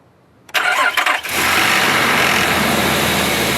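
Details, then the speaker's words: SUV started after months in storage, oil topped up beforehand: short crank, catches quickly and settles into a steady, even idle with no misses or knocks; healthy start. "man i love this car this car just does not want to die that's awesome"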